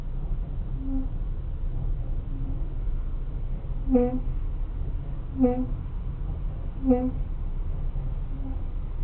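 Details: Ford Focus 3: short pitched squeaks recurring about every second and a half, following wheel rotation; brake squeal.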